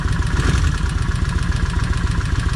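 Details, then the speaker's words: Kawasaki Vulcan 1600 V-twin idling after long storage on a new battery, held at low revs to re-lubricate; lumpy idle with a fast light ticking clatter on each firing pulse that grows slightly louder, cause suspected, not confirmed. "And see how that noise come back a little bit louder? So I just want to take my time with it, break this motor back in, get everything good lubricated."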